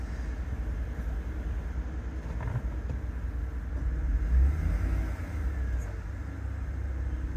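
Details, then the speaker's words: 2014 GMC Yukon 5.3 LS, after new spark plugs and wires for a cylinder 7 misfire (P0307), idling with AC on low: smooth even rumble, RPM steady, no stumble or surge; normal idle. "Alright, so the engine RPM is no longer fluctuating. It is holding steady right there, and it has been."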